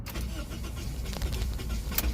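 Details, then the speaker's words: Car after an engine swap with the fuel light blinking and 75% fuel: the starter cranks steadily but the engine won't fire; fuel pump wiring was checked and pressure is 56 psi, and when it starts it runs badly and stalls. "it cranks and it feels like it's gonna turn on and it's not it's not turning on"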